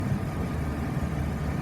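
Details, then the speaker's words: 1999 Dodge Ram 3500 utility truck, 5.9 L V8 gas, 176,000 miles, jump-started, warm after about 45 minutes running without overheating; low even V8 burble, no ticking or knocking; idles smooth, revs nicely. "The engine sounds good. It's been running for about 45 minutes. It has not overheated. It idles smooth. It revs up nice."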